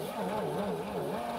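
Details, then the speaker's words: 1950 DeSoto S14 flathead six, 6-volt system, last serviced around 1966: slow cranking with uneven compression beats, number four cylinder suspected weak; no spark found afterward; uneven cranking compression. "you can hear the compression I think I was still having trouble with number four"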